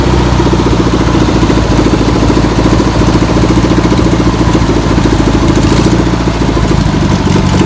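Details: Air-cooled engine in a VW pressed-bumper-panel bus, stored over 50 years, runs loud and steady with an even, chuffing rhythm and no obvious knock after penetrating spray and fuel are added. Still untuned. Owner suspects a bad fuel pump. Deemed a runner.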